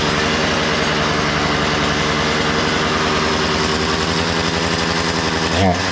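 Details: Makita DCS 6401 chainsaw, unused for 10 years, after a new plug, fresh fuel and a cleaned tank and fuel filter: even high-pitched two-stroke buzz, steady with no misses or surging; runs well, though the kill button doesn't work.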